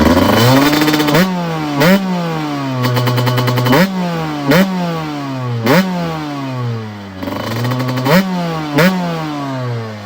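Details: 1997 Honda CR125 two-stroke after rebuild with new Vertex piston, gaskets and silencer: revs snap up cleanly and fall back to idle between blips, no bogging or odd rattles; runs healthy.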